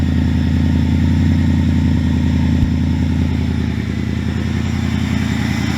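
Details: 2000 Mustang GT with a swapped Lincoln Mark VIII 4V V8, after fixes including ECU board cleaning for a sputtering problem: deep, steady idle burble with an even pulse and no sputter or misses; running much better.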